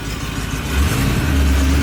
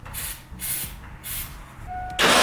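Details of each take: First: 1989 Ford Bronco after new 2AWG battery cables, engine smelly: steady low rumble holding an even idle with no stumble or hunting; runs smooth, then warmed up and responsive. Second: 1989 Ford Bronco after new battery cables, fuel leak fixed, with a shot battery and jump pack: engine cranks, catches and runs roughly for several seconds then dies; sputtering start blamed on weak battery.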